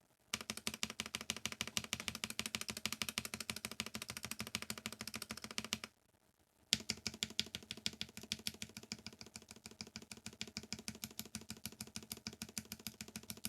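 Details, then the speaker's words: NK87 Entry Edition keyboard, polycarbonate plate, Gateron KS9 switches lubed with 205g0, NicePBT keycaps, stabilizers swapped to lubed Durock V2: fast, even crisp clacks with no rattle. Normal typing sound. "this is with stats replaced to drock v2s and with a proper lube job same switches same keycaps"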